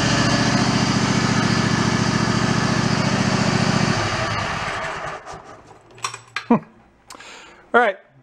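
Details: Mid-90s Toro Wheel Horse riding mower, choke off, after restoring fuse power: quick, even single-cylinder putter holding steady a few seconds before shutting off; runs cleanly.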